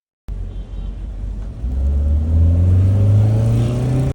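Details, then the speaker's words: Car petrol engine accelerating smoothly on a test drive after a faulty ignition coil was replaced; the earlier misfire is gone, with a steadily rising hum and no stumble. "Test drive ली तू अब सही हो गई थी। अब नौ ही missing कर रही थी।"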